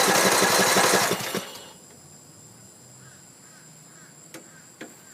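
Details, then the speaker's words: Troy-Bilt Pony riding mower (build date 06-07, 42" cut, Briggs & Stratton 17.5 hp I/C engine), battery freshly charged, seated on safety switch: starter churns about 1.5 s then silence; cranks but won't start, owner unsure if fuel or no spark. "So nothing. I don't know if it's a fuel issue or if we don't have spark."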